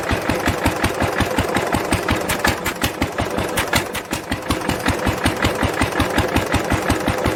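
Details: 1946 International LBBR 3-5 hp hopper-cooled engine off a hay press, with a homemade glasspack muffler fitted: steady, even exhaust beats a few per second with a soft, muffled bark, no knocks or misses; normal running.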